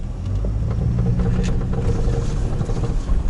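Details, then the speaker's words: Toyota Noah SR50 on 215/70R16 tyres, heard from the cabin with the wheel at full left lock under throttle: engine drone with quick clicking ticks from a worn outer CV joint on the front driveshaft. The boot is intact. "было слышно как он у нас клацает именно вот шрус тык-тык так ещё раз покажу вам так здесь Вон Да он и в эту сторону у нас здесь конкретно проблема в приводе"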